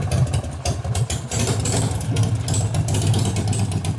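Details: 1988 Harley-Davidson FXR V-twin, after alternator, clutch and primary repair plus cam and ignition changes: a deep, loping idle with a loud open exhaust, firing uneven but steady. It sounds healthy.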